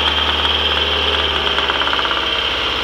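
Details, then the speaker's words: Freshly rebuilt turbocharged Mazdaspeed Protege engine swapped into Protege5, first start-ups: harsh metallic rattle/knock arrives with throttle and rises with revs; valves also noisy, owner suspects valvetrain or rod knock, unconfirmed. "so I did here I don't know if you could hear that noise but as soon as I increase the throttle I heard this horrible rattling"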